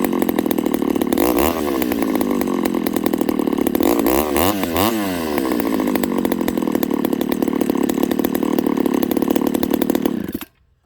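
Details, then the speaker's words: Ported Homelite 922 chainsaw after clutch and fuel line fix and cooler heat-range plug: steady high buzzing idle, quick blips rising and falling cleanly, then shut off; runs like new. "Other than that, this saw runs like it might as well be a brand new saw. It starts, idles. Pretty happy with it."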